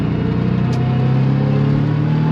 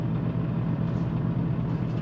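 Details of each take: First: 1999 Porsche 911 Carrera C2 with semi-solid transmission and engine mounts and numeric shifter fitted, on the freeway at higher revs, GoPro in the cabin: strong deep even drone; slight transmission rattle with clutch in that goes away; normal engine noise. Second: 1999 Porsche 911 Carrera with a newly fitted semi-solid transmission mount and semi-solid engine mounts, driven on the freeway at higher revs: low engine drone with a light, fast transmission gear rattle that stops when the clutch is pressed.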